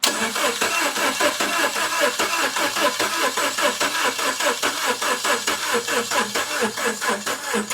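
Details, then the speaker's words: 2nd-gen MINI Cooper (N14/N18), starter jumped by wire to pre-oil: even cranking at about four compression pulses a second, no firing; turns over freely and normally. "And that's basically going to signal your starter to engage. And we will rotate the motor until oil starts coming off the cam gears."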